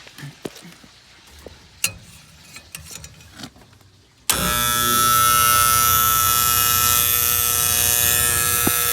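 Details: Antique gas furnace with a steady, even-pitched electrical buzz from the magnetic diaphragm gas valve; the owner suspects the plunger with spring is making the noise.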